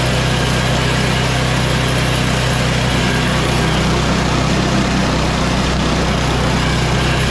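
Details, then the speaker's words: MTD Yard Machines snow blower, Tecumseh Snow King 8 HP, after carburetor and fuel line replacement and oil change, at full choke and full throttle: loud, steady, even drone with no misses, surging or knocks; normal running, fully tuned up. "this snowball is now completely tuned up it's ready for the winter"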